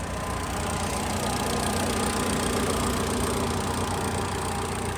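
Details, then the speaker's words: 2016 Mitsubishi Lancer after an engine install, following a 3-year sit; smooth, steady idle at an even pitch with no ticking, knocking or stumbling. It starts fine and idles perfectly. "Where you guys have it, there it is. It starts off fine, it idles perfect."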